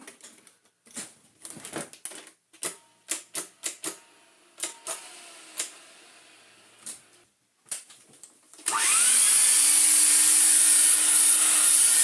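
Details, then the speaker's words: 1986 Vax 121 vacuum cleaner, reassembled after a full motor restoration and fluff cleared from the fan: after handling clicks, the motor spins up quickly to a steady, even high whine, sounding healthy. "what we're going to do is I'm going to lean it up a bit so it doesn't glue itself down to the carpet turn it on and plug it in it should run"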